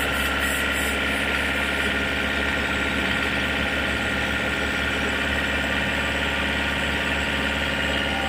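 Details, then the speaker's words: Toyota Innova/Fortuner/Hilux diesel, engine still cold, held at 2000 rpm with AC on after the alternator pulley repair: steady, even drone with no rattle or rough chatter; the earlier rough noise is gone. "jadi bunyinya sudah halus gas n tahan r000 kita gas tahan di 2000 RPM kemudian AC on ya"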